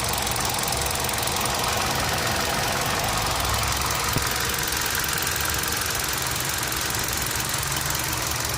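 Steady idle with a sharp, fairly regular tapping knock about three times a second over the engine note: knock, cause not yet pinned down.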